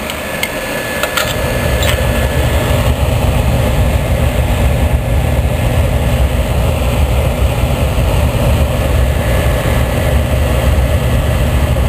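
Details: Oil-fired boiler burner after cleaning out soot and installing a new combustion chamber, with the old nozzle still in: steady, even low roar with no pulsing, rumbling or cutting out; firing properly.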